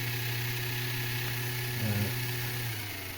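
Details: Jouef EMU 5154 model train, original motor driving a spiky-toothed crown wheel, running on the test track: steady buzzing hum with a rough, wavering gear note; drive noisy, owner plans to change it.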